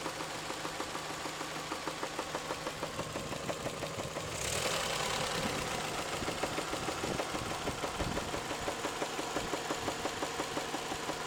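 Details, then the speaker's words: Toyota 3S-FE engine at idle, knock appearing after warm-up: hard, uneven knocks roughly three per second hammering over a steady hum; heavy internal knock, source unknown. "Стучит. Бывает не стучит, бывает просто тарахтит, прям аж долбит как хрен знает что. Просто удары такие характерные. Сильные удары."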